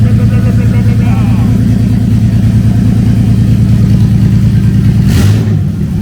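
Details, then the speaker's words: Jeep Liberty on its first start after a fuel tank relocation: very loud, raw engine rumble with a steady low chug and a brief rev. It is far too loud, like a derby car, with the exhaust likely open. "sounds like a dang on derby car way too loud"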